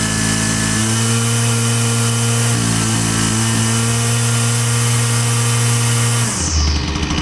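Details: Husqvarna 122C string trimmer, previously bogging and running only with choke feathered, after repair with fresh fuel: steady buzzing idle, clean pickup when blipped, settles back; runs smoothly without bogging.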